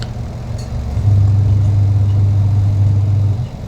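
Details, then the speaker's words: Sanyo SW-855XT twin-tub washing machine after repair of dead unit with rat-chewed wiring: steady low hum running evenly, no scraping or knocking; motor runs normally, both spinner and washer working. "Dari pagi sampai sore kita cek di sini untuk running-nya oke sudah normal ya kan. Baik pengering maupun penggilingnya itu sudah berfungsi."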